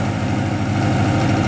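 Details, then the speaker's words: Honda H22A four-cylinder after cleaning the fast idle/idle control air channel to cure high cold-start idle surge: steady, even idle at modest speed with no surging or hunting. Normal idle after fix. "so far is idling very nice actually here to sound very nice"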